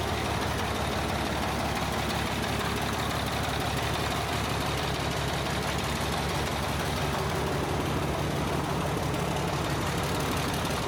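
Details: Caterpillar 977H loader with D333 diesel, oil-into-coolant problem traced to cracked head: steady low rumble idle with even firing, no misses or knocks; running smoothly.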